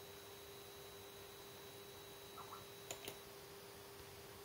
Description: LG LED monitor E2260S making annoying buzzing sounds